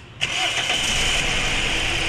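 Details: Toyota Altis with new ignition coils, not overheated, fuel filter being replaced; cranks, catches, then lumpy idle with heavy whole-body vibration; number one spark plug wet, dead cylinder from cracked exhaust valve.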